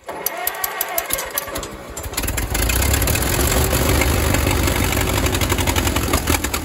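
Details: 1934 Allis Chalmers Model M crawler, 300 cubic inch four-cylinder, 85 years old, first start in over a decade, oil leak present, loose coolant fitting just fixed; sharp cranking clicks, then catches into a loud open uneven chug; running without muffler.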